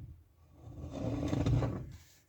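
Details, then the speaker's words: '78 Dodge step side being test-fitted with different rims: a slow scraping grind swells and fades as the wheel is turned by hand, with the brake caliper grinding on the inside of the rim, so the rim won't work. "Yeah, you can hear that grinding. That's that caliper once again grinding on the actual rim,"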